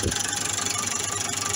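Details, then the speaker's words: Massey Ferguson 440 Xtra tractor, Brazilian-built Perkins 82 hp diesel, warm after half an hour running, has lost power; fast sharp tapping about a dozen raps a second over clattery idle. Injectors renewed and pump redone without change; cause unknown. "في عندي فيه صوت طارق يظهر مع الشاط مع المنطار."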